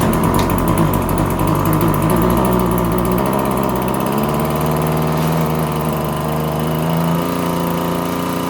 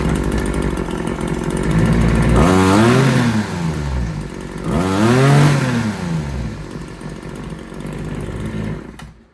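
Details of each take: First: RedMax TRZ230S two-stroke string trimmer held at wide open throttle: surges and stumbles unevenly instead of steady, running rough; air filter found pinched and soaked, fuel leaking, carb diaphragm suspected hardened. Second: RedMax TRZ230S two-stroke trimmer after raising the idle: revs up twice from idle and drops back cleanly, with no fuel leak. Runs strong, just a hair boggy off idle; owner wonders if the diaphragm is slightly off.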